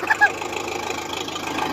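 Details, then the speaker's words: 480 diesel idling after cleaning corroded battery terminals: an even, steady rapid beat with no misses or knocks, a normal idle. "fire's right up fire's right up on its own now that's how you that's how you fix corrosion guys"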